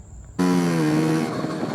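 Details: 1981 Honda Express NA50 two-stroke scooter, about 4,100 on the odometer, started for a shakedown ride: it catches at once into a steady, buzzy, even run with no misfires. Normal running.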